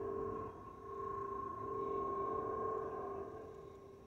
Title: Delta Airlines Airbus A319-114 N360NB DL2170 LGA-DTW (FOPP whistling sound)